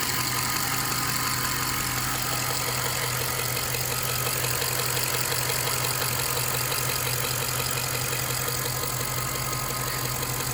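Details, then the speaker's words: 2003 Jaguar XJ8 (X308) starting on battery after days on charge: steady idle with busy ticking clatter about three per second on top; something sounds off, cause unclear. "Maybe we're in luck. Something doesn't sound right. What was that?"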